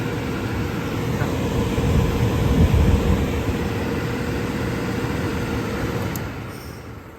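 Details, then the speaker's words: Indoor furnace blower after the fallen-off duct insulation liner that was being sucked into the fan was removed and the liner edges glued down: a steady, even air rush with a low hum, no rattles or scraping; normal blower operation. "好，看，好了，看到没有？没有任何声音。"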